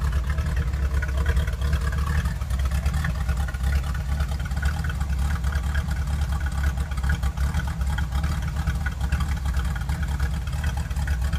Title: The 66 rough idle after waking up